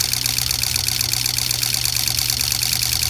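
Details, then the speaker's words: Diesel truck with hard starting: customer's injector driver harness bench-tested on eight used injectors, crisp even ticking chatter about four clicks a second, steady throughout; injectors and driver responding normally. "what we've got right now is basically his victim his victim harness all plugged into eight of my used injectors so we're gonna listen to how it shatters right now"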